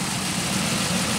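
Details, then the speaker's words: 2001 Pontiac Aztek GT, about 170,480 miles, sat a year: steady even idle hum with no ticks or knocks; normal idle mechanically, though engine shakes and a hiss was being traced. "sounds like it's running smooth I mean like no no tics no knocks everything sounds normal"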